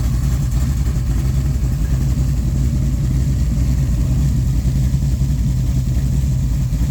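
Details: Fresh-built small-block Mopar 408 (1989 LA roller block, .030 over, Speed Master heads, Comp 20-811-9 mild hydraulic roller cam, Comp roller rockers, 9.9:1) for a Cuda; deep, steady rumble with slight cam lope, no knocks or ticks; normal idle.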